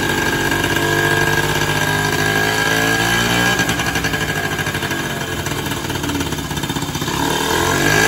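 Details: Sanex 50cc Yamaha-based two-stroke after rebuild with new crankshaft bearings, seals, crankshaft and generator-part connecting rod; air screw not yet adjusted, side oil pump unconnected; even buzzy idle with slight speed drift, no knocking or rattling, running properly.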